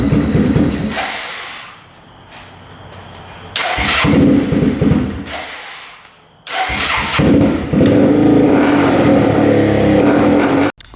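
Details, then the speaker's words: 4x4 ATV that sat for years, after float height and fuel screw adjustment: idle hunts up and down, fades, then cuts out abruptly; popping and stalling at idle, owner plans to check valve clearances and intake boot for air leaks. "All right, it's still doing the popping and the shutting off when it's at idle."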